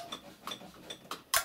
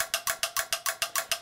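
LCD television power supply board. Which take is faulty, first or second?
second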